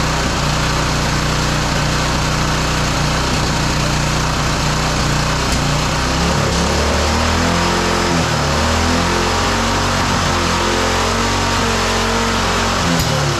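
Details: Roadside-salvaged small single-cylinder lawn mower engine for the Tommy Gun mini bike, after a carburetor swap and choke off; it holds a steady buzzing run for over ten seconds, wavering slightly mid-clip, not yet settled. The spark plug is changed next.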